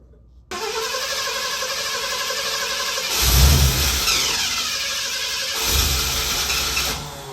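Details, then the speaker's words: 1969 Ford F250 Ranger camper special, barn-find revival, no keys, jumped at the starter solenoid: starter whirs, engine fires and surges twice, then drops back to cranking; wants to run but won't stay running without the key. "You could tell it wanted to run, but with the starting solenoid, I'm just too young and dumb to know how to keep it running without the key."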